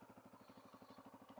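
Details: Roughly 30-year-old Honda XR250L, cleaned up and chain lubed: steady, evenly spaced thumps about ten a second with no skips or clatter; the single idles cleanly and sounds good.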